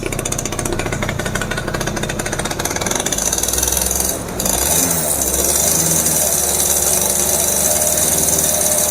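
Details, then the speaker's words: F1ZR two-stroke just rebuilt (new conrod, crank bearings, crankcase) with carburetor installed, first run with doubled oil mix: rapid buzzy idle, then pitch climbs sharply on the throttle and holds; revs freely and smoothly. "Halus ya mesinnya. Halus tuh."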